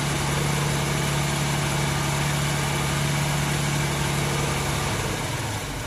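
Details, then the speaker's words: 1994 MerCruiser 4.3LX V6 boat engine, warm at about 130°, new fuel and fuel-water separator, idling around 900 rpm: steady idle hum that sags and loosens toward a stall after about a minute. Owner suspects heat. Engine stalling at idle. "You would think that it wouldn't have stalled, but it'll do that 20, 30 times. That's our problem. Heat."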